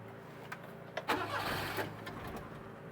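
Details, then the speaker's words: 1988 Daihatsu Hijet mini truck stored two years after dying, restart attempt without pumping the pedal: starter turns it over in short bursts but never catches; ran briefly then wouldn't restart right after shutdown, recurring fault; cause unclear. "yeah it's doing it again that's the same thing I was doing yesterday it would it ran good a couple of times I shut it off up at the pond and I went to restart it like right after it wouldn't"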